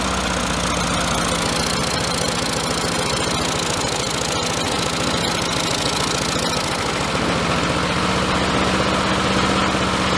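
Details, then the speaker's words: Lawn mower with rotted frame, primed, running after air filter removed: single-cylinder engine runs with an uneven stumbling beat and loose clattery tone, rough running. "It runs, but not great."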